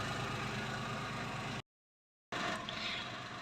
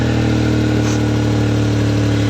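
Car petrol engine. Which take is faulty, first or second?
second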